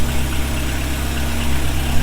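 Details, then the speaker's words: Honda Civic EG (H2B build) after injector swap: even, steady low idle, no misses, ticks or knocks; normal idle, injectors believed to have fixed the rough running. "I already ordered the one that should be coming soon, but it runs better. It sounds smooth. So, I think the injectors fix the problem."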